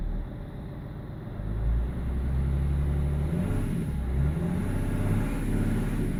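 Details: BMW E46 330d M Sport diesel with lumpy idle and judder around 1500 rpm; INPA shows injector 6 needs changing ASAP, injectors 1, 2 and 4 also off: deep idle with uneven, lumpy beat under a brief rev, one cylinder not pulling evenly.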